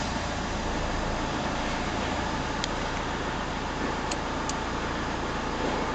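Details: Renault Scénic I phase 2 1.9 dCi 105 diesel idling with a steady clatter and a faint faster tick riding on it; suspect abnormal engine noise, cause not yet pinned down.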